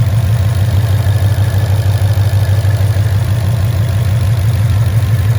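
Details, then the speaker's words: 2012 Mustang GT 5.0 Coyote V8 with long tube headers and Flowmaster Outlaws, before an oil change with Marvel Mystery Oil: deep idle with a fast, steady ticking around three per second; the common Coyote tick, cause unknown. "Okay, so now that you can very clearly hear the Mustang tick, let's go ahead and put it in and see what the difference is."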